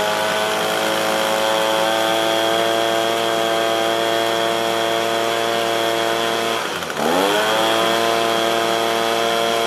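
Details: Echo PB265LN two-stroke leaf blower, rescued from the trash with a seized engine, fuel leak and no start, after repair and carburetor adjustment: constant high scream at wide-open throttle, steady pitch, no surging; running properly, though carburetor limits tuning.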